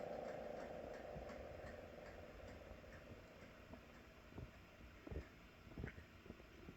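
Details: GS CS-10V15QT siren on a full-pitch run: the tone fades while uneven ticking and clicking continue as the rotor coasts down on worn bearings.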